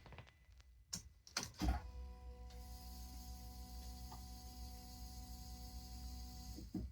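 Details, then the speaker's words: 2019 Citroen Berlingo 1.5 HDI with P008B fault (high pressure in low-pressure fuel system) after contaminated fuel, heard at rear after fuel pump replacement: clicks then steady even electric hum, no hiss or high-pressure noise; normal fuel pump priming. "so all we heard there was the normal fuel pump running no high pressure we'll try it once more there's the fuel pump no high pressure"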